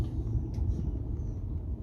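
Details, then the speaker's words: Newer-style Whirlpool/Maytag washer that would not spin, now spinning after freeing locked bearings: constant low heavy rumbling roar like a freight train; worn tub bearings, which on this model require replacing the whole transmission assembly. "all right as you can tell it's spinning but as you can also hear it sounds like a freight train take a look so I was able to free up the locked bearings but essentially the bearings are bad on here"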